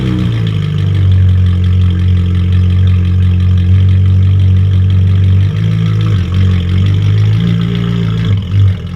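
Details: Ferrari 458 after battery pulled to reset computers, following surging and 7,000 rpm high idle: deep steady idle, returns right to idle after quick throttle tap; owner thinks a dirty MAF may have been the cause; sounds fixed.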